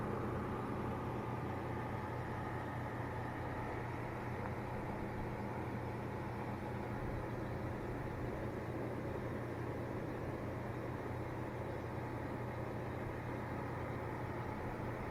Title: corsair hx1000i buzzing noise